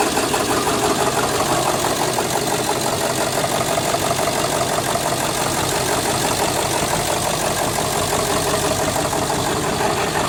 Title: 2000 7.3L PSD Rough idle, no power, white smoke